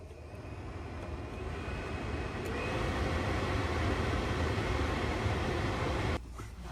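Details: 2008–2012 Chevrolet Malibu, newly replaced blower motor retested: a steady airy whoosh builds smoothly over several seconds with no rattle or squeal, then cuts off. The blower is healthy after repair.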